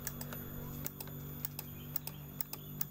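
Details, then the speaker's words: Honda BeAT FI scooter with ACG starter: relay near the battery clicks sharply and irregularly, about four per second, over a faint hum with no cranking. "cetak-cetek di bagian akinya"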